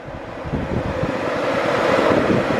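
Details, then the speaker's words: Nissan S14 newly wired electric radiator fans switched on for first test: smooth rush of air builds over a couple of seconds, no ticking, rubbing or wobble, pulling air through the radiator toward the engine; working properly. "it's blowing it towards the engine which means it sucks air to the radiator"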